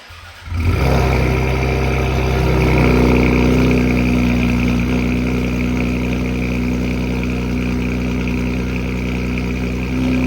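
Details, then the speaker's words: 2020 Ford Explorer ST after replacing the failed, rattling flex pipe: a loud, deep, rowdy exhaust drone settles to a steady idle with no rattle. Some smoke is from WD-40 sprayed in the pipes. Normal exhaust note. "Sounds good, rowdy. Sounds good."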